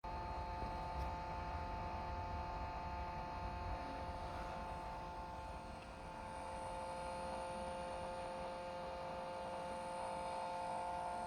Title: weird sound and vibration coming out of my DJI Radio